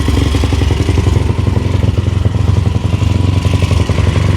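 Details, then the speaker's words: Yamaha YFZ450 with 480cc big bore kit, freshly rebuilt after a blown head gasket, 65 pilot and 175 main jet, idle being adjusted: single-cylinder thumping at low idle with a slightly uneven beat; owner suspects pilot jet a little big, possibly rich. "Let's adjust the idle a little bit. Run pretty good."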